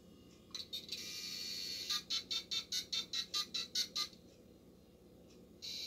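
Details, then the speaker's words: Dial-up modem on an IBM 330 450 DX2 Windows 95 PC dialing America Online via a dialer program: about eleven quick even touch-tone beeps then a steady line tone; normal dial-out. "so i put that number in for america online 1-800-605-4297 and we're going to see again okay now listen how it used to dial out long ago connect"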